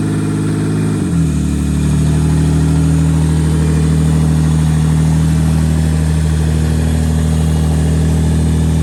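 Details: Rear-wheel-drive race Honda Civic after its cranking and no-start problems were fixed: revs drop after a brief blip, then settle into a steady, even idle with no misses or knocks; engine running normally.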